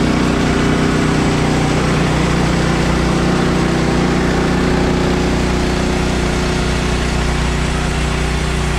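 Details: Bandsaw mill cutting 3/4 x 6 inch boards with a reduced Pine-Sol blade lubricant; excess was suspected of making the blade jump off the bandwheel. Steady, even engine drone under load, smooth cutting note, no stumbling or slapping; running normally.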